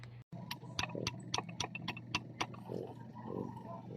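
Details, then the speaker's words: Kymco Visar 110 scooter, over 5 years old, with a knocking noise inside the engine; the removed crankshaft is turned by hand: sharp uneven metallic clacks from excessive big-end play; worn connecting rod big-end, side bearings still good. "At yun na nga guys malaki na ang tunog ng kanyang connecting rod."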